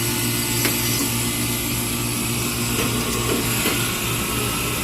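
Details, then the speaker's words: Scotsman ice machine after TEV diagnosis, first harvest: steady compressor hum with constant rushing hiss as opened valve sends hot gas directly across evaporator to melt ice; normal hot gas harvest. "Oh, there it went. So I just opened up this valve here, which is letting the hot gas go directly across and melt the ice"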